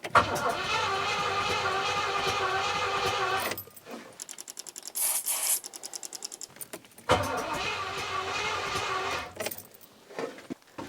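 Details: Rover 4.6 litre V8 first start attempt with the fuel system reconnected: starter whirs steadily about three times a second for several seconds, twice, but the engine never catches; cranks without firing, cause unknown.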